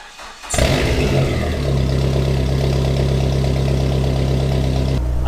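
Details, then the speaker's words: Dodge SRT4 turbo, in ~33°F weather, first start after installing Vibrant Ultra Quiet resonator: starter catches quickly, deep steady idle burble, no rattle or buzz; sounds almost the same as the last muffler, healthy. "sounds all right. I would say it sounds almost the same as the last muffler."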